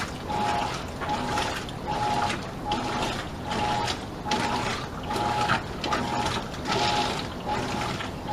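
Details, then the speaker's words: Modern Roper top-load washer, weak agitation; water sloshes in slow, shallow strokes about every second and a half with a faint click each stroke; the agitator ratchets and slips, and the agitator dogs are suspected worn. "This thing is barely doing anything different than a wash tub would do."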